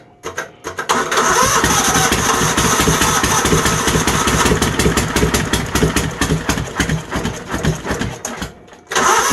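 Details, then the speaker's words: Troy-Bilt GTX 20 small engine after new valves, lapped, with a failing starter and carburetor issues: cranks, catches and runs raw and loud with a sharp crackling bark; exhaust baffles are gone. "I know the baffles in the exhaust are gone too"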